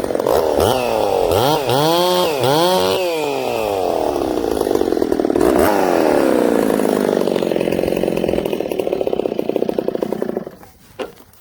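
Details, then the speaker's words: Ported Husqvarna 266SE chainsaw revs up and down then labours through a long cut with fluttery, slightly blubbery note; carburettor running a little rich, could be leaned out. "Again, the old girl's a little rich. We could lean her out a little."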